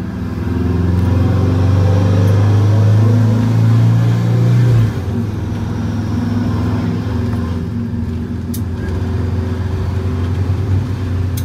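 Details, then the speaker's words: Detroit Diesel 8V92TA turbo in a Wanderlodge bus after fixing the boost issue, about 14–15 psi boost; deep, throaty engine pulls strongly and evenly as revs climb, no misses: normal acceleration. "t sounds louder though that sounds real frody and nice"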